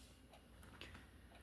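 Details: Cheap clock that had stopped working, after two days of repair; faint, light ticks in a quiet room, running normally.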